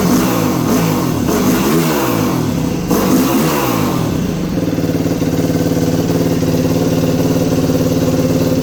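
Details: 2021 Yamaha YFZ450R SE right after installing a Pro Design intake kit, stock pipe still fitted: single-cylinder rises and falls through several blips, then settles to a steady, even thumping idle without knocks; healthy.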